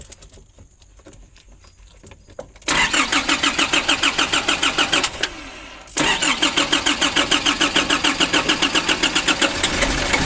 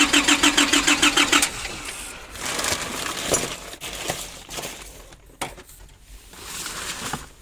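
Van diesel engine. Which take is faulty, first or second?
first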